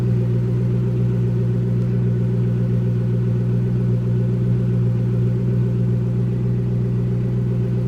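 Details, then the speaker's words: Whipple-supercharged Ford GT, about 750 hp, 10,000 miles, started in neutral; deep steady engine rumble with a faint high supercharger whine riding on top as it revs, clearly audible: normal, clean supercharger whine. "The one thing I noticed about this car in comparison to the other one is this one you can really hear the supercharger on."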